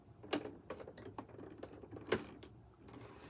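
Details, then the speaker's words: Used Michley Tivax Sew & Sew Inspiration 700 sewing machine, handwheel turned slowly toward user: scraping, clattery bursts as the hook picks up the bobbin thread; it picks it up, but owner says something inside needs adjusting, cause unknown. "It did pick up the thread, but that noise, something needs to be adjusted on the inside, and we'll figure that out later."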